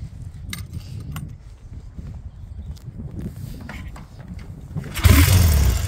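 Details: 1968 Triumph T100 Daytona twin (1968 frame and engine, non-matching numbers), still cold: uneven, lumpy low beat with handling clatter, then it picks up and runs louder and steadier; normal cold running.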